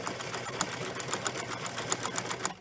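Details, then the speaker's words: Sewing machine test-sewing a straight stitch after threading and bobbin insertion, foot lowered: fast, even needle ticking at a steady pace, no knocks or catches; sounded and looked good, normal stitching. "I usually test sew on an easiest stitch, which is a straight stitch. So I'm going to test on a straight stitch."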